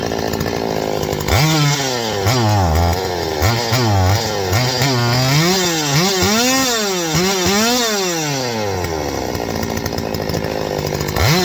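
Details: Stihl 025 two-stroke chainsaw: the revs climb quickly, then sag and stumble back down, repeating, falling on its face after rev-up. A vacuum leak is suspected and checked by squirting 2-cycle mix; the problem persists once it dries.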